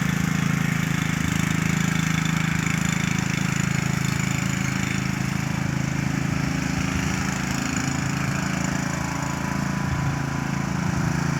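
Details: Troy-Bilt lawn mower running flat out, extremely loud: harsh, loud low drone with a rough chattering edge; noise abnormal, cause not pinned down.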